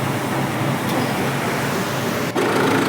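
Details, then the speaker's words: Engine that had a belt-drive noise, after three worn belt-drive parts were replaced: a smooth, even hum with no ticking, chirping or squeal. Quiet, healthy idle. "अब आप देख सकते हो इसमें कोई आवाज भी नहीं आ रही है"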